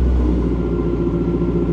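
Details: 2008 BMW E92 M3 V8, first start on the ground after installing a new Turner valved stainless exhaust, run briefly pending a new coolant line: deep, even burble, smooth steady firing, no knocks or rattles; healthy.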